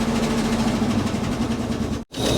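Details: 1962 Cadillac Sedan DeVille first started after 30+ years parked, 45 psi compression, with a battery charger connected: lumpy idle with an uneven, chugging beat that keeps stumbling, misfire at idle.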